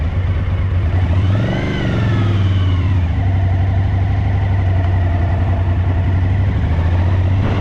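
Uneven, lumpy V-twin idle with a stumbling beat and a brief blip of revs; rear cylinder is misfiring.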